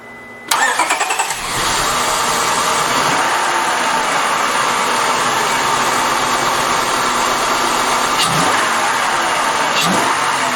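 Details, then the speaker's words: 2000 Acura 3.2 TL, cold start after a valve clearance adjustment (0.20 mm intake, 0.30 mm exhaust) and valve cover gasket replacement: it cranks briefly, catches cleanly and settles into an even, steady idle with no ticking; healthy. "she's okay sounds good i think we can call that job done"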